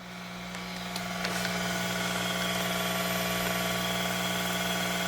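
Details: Yaxun 902+ rework station hot-air pump, air at maximum (8), about 400–450 °C, nozzle removed, sitting in its holder: a steady hum with a constant buzzing vibration and no knocks. Normal pump noise.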